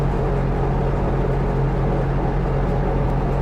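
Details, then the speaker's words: Viking 130 aircraft engine with propeller, after run-up to 5200 rpm, back to about 1300–1330 rpm idle; oil pressure 47, water 130, gearbox 103: even deep drone, steady propeller beat, no misses; smooth. "yeah such a smooth engine pretty amazing"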